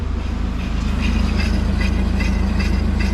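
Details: Volvo driving, heard from inside the cabin: steady low droning rumble with a fast throb about three per second; wheels quiet, owners suspect worn driveshaft center support bearing, nothing serious.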